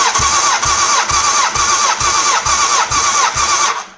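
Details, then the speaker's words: 1989 Honda CBR1000F, abandoned over 10 years, cranking on starter for compression test with carbs removed; even cranking beat about twice a second, cylinder three just over 150 PSI, healthy compression. "Right, here we go for the compression test. Now, the carbs aren't attached, so I don't need to worry about having the throttle fully open."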